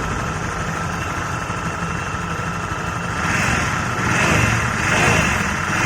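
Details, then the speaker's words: Honda Vario 110 FI scooter tested without rear pulley: smooth at idle, high singing whine on each light throttle blip from worn crankshaft bearing, sounds like final drive bearing but appears under gentle throttle. "Jadi suaranya kayak gitu ya. Kalau digas pelan aja langsung sing sing sing."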